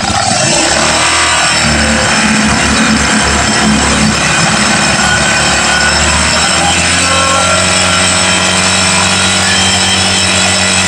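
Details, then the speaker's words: Rebuilt Honda Beat FI ESP single-cylinder, light throttle blip: revs up cleanly and returns to idle without stalling or the rough rattle it had before the rebuild; normal free rev. "Nah, Guys, ketika kita blayer itu tidak mati ataupun bunyi ngeletek ya. Ketika kita blayer biasanya dari yang sebelumnya itu langsung mati dan langsung bunyi kasarnya keluar."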